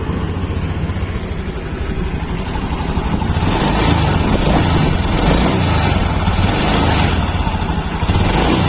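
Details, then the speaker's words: 2021 Honda Beat Deluxe scooter: idles, then revs unevenly with a lag and stumble when throttle opens, hesitation at initial throttle; dirty throttle body. "bisa dengerin sendiri ya ini digas ini telat-telat ya kasus ini sering terjadi di sepeda motor Honda Beat keluaran terbaru 2021"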